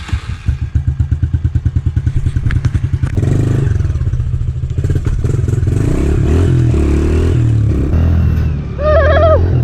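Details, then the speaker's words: 2013 Honda CRF110F that sat most of its low-hour life, after carb cleaning, a rebuild kit, a new main jet and an adjustable needle on the middle clip. It idles with an even thump and revs cleanly without bogging, running like new. "it runs like new again."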